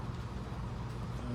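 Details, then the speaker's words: Antique Diehl Hatbox ceiling fan on slow speed after a new Torrington needle bearing replaced the broken fiber thrust washer under the armature: a smooth, steady hum with no ticking, rubbing or rattling, and the earlier noises are gone. "But I put in a Torrington needle bearing, which is about the same size, but it has little rollers in it. And I'm going to turn it on. I'm just going to turn it down to slow speed. I don't want it to get too fast. But the noises are all gone."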